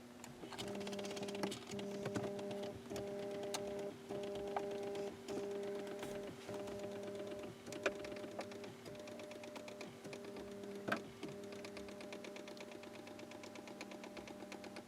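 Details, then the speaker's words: 1989 BMW E34 climate control heater motor controller on the bench after repair of a stuck-high blower, ignition on: steady buzzing tones starting and stopping with sharp clicks about three a second; flap stepper motors suspected bad, blower now controllable. "I think I might have some stepper motors that are bad."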